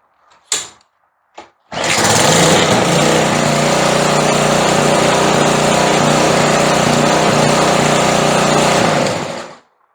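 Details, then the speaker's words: Briggs & Stratton mower engine without throttle cable, after several small idle adjustments: fires up and holds an even, steady idle; surging (hunting) about 99% gone. "तीन या चार या पांच समायोजन के बाद हमें उस बिंदु पर पहुंच गया जहां निष्क्रियता बहुत अधिक नहीं है, और उछाल 99 प्रतिशत चला गया है।"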